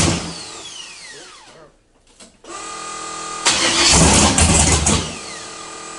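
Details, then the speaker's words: 1976 Camaro, 600+ hp forged V8, first start after fixing MAP sensor wiring (crankcase had filled with fuel twice): cranking, pause, then fires and revs hard with loud lumpy roar; normal start, later running hotter, suspected air pockets. "that sounds [ __ ] Rowdy dude"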